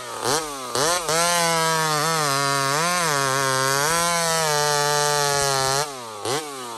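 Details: Small Homelite chainsaw, described as 28 full house on a stock chain, cutting wood: revs up, holds a steady high pitch under load, dips slightly through the cut, then blips free. Healthy cutting; strong-pulling two-stroke.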